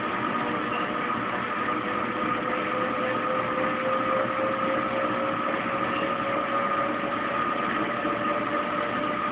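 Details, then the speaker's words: Kenmore Oasis top-load washer being repaired for OL code, 10 minutes into spin, phone stuck to machine: even whir with steady pump hum as drum spins up and drains; healthy spin, no unbalanced load or OL code. "Alright, 10 minutes in the spin cycle. I can hear it spinning up. The pump's kicked on."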